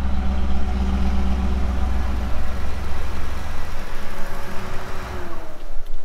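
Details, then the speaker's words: Pontiac Trans Am project with an injected 350 Chevy V8 and Turbo 700, on first start: a deep, even, smooth idle with no rattles or knocks, blowing a bit of smoke. Exhaust leaks remain, but the motor sounds healthy. "motor sounds good there's no rattles or kns or anything there's um some exhaust leaks and stuff to sort out but other than that the motor itself actually s's pretty healthy"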